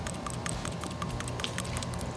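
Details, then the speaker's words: PCV valve removed from the back of the valve cover on a 2010 Nissan Murano LE (VQ35DE), shaken by hand after cleaning off dirty gunk with carburetor cleaner: quick, light clicking rattle as the once-stuck plunger and spring now move freely; it will still be replaced. "it's rattling more freely ah this right here you see that inner part uh that was not moving like this in the beginning that was not moving freely you see it the spring pops back up it was now it's a lot more free than before"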